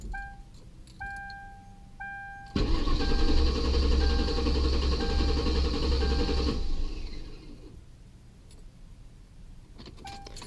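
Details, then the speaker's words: Ford Crown Victoria with codes P1235, P0511, P0403, P0201–P0208: chime beeps, about four seconds of quick cranking, catches briefly and dies; starts then stalls, owner suspects fuel. "oh it did it started up for a second and then it stopped I'm almost wondering if it's my fuel"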